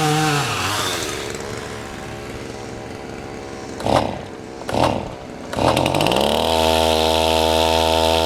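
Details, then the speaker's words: Chainsaw cutting up a large blown-down oak: idle, two quick blips, then a strained, steady held high rev; the chain brake is left on while revving, slipping and burning the clutch. Bystanders first wondered about the compression release. "Take the brake off. Take the brake off, you're burning the clutch up."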